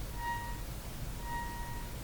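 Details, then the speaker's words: General Electric KL60 tube radio with no output, test tone injected: faint ~1 kHz tone barely above hiss, extremely weak at output; next testing at output tube grid. "extremely weak extremely weak at the output"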